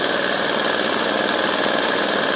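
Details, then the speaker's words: Home-built 3-cylinder compressed-air radial engine, 7/16-inch bore and stroke, spring-loaded ball valves, steel propeller: soft even hiss-and-chuff at its slowest steady speed, no misses or knocks; smooth slow idle. "it's about as slow as it'll go"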